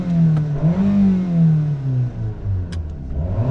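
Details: 2001 Toyota RAV4 2.0L 4-cylinder after repairing blinking check engine light, misfire and no-acceleration fault with new coil packs and spark plugs: engine pulls up cleanly through revs, steady even note, no stumble; acceleration healthy.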